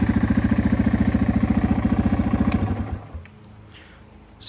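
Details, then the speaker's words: 2001 Yamaha TTR 225, revived after four years sitting with carburetor cleaned: even single-cylinder thump about three and a half beats a second, steady with no misses, then shut off; healthy idle. "idles really well it seems to be running really well so let's hop on it and take our first test drive"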